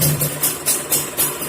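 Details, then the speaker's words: Kawasaki Ninja two-stroke engine after fixing a humming (dengung) noise traced to the primary gear: crisp idle pulsing about four times a second, even, no droning hum; sounds normal. "Oke ini dia Tes bunyinya lainnya ini adem ya tertutup kenalpotnya"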